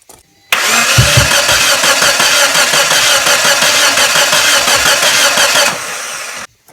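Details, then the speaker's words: 1996 Geo Tracker after drying the cylinders and plugs, old distributor refitted, air filter off: starter spins evenly for about five seconds, never fires; crank no start; fuel, air and spark present, timing suspected. "so we still have nothing and I completely cleaned out those cylinders made sure there was nothing in them they were dry spark plugs were dry"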